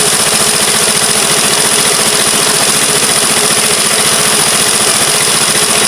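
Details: Vespa Matic scooter after wiring was tidied and checked: loud, busy single-cylinder idle with a rough, uneven beat about two per second; rpm usually drops after about 10 seconds and it stalls, cause still unknown; low idle speed and stalling.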